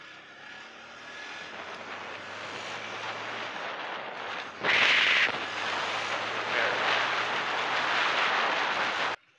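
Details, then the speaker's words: Old Honda CB150R motorcycle, normal the day before; revs at low and high rpm give hissy, spluttery surging exhaust roar; owner suspects leak or rusted-through exhaust, cause unconfirmed: abnormal exhaust noise. "terus buat yang tahu mungkin bisa komen ya kira penyebabnya apa k Suaranya kayak apa ya k br br br atau mungkin ada yang keropos atau gimana"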